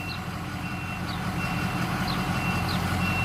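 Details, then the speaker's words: Truck with a seat belt plug that had been unplugged the whole time of ownership, now reconnected and the engine started; a steady, evenly repeating electronic chime over the running engine; the seat belt warning works. "i'll show you that it works real quick and then i'm going to unplug it again it's pretty annoying here i'll start it up too yeah yeah seat belt thing was unhooked this whole time"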